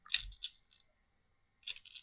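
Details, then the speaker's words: G&G ARP 556 airsoft AEG gearbox, disassembled, gears turned by hand: faint dry ratchety clicks in short bursts; anti-reversal latch (active brake) dragging, grinding on the gear, confirmed silent with it removed. "So, I'm kind of simulating with my finger here. And I can clearly hear the stress."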